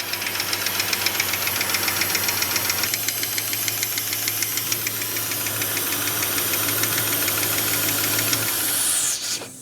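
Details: 1969 Barracuda, stored 27 years, with valve cover off showing sludgy neglected oil and one loose rocker; fast, sharp ticking about four per second over steady idle, keeping pace with engine; lifter tick, broken rocker shaft also considered.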